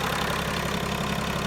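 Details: 2005 Mercedes W211 E320 CDI diesel with intermittent no-crank/no-start and ESP warning, here started without the jumper; owner suspects bad ECU: short stretch of steady, even idle with regular clatter, no misses or stumbles; normal idle.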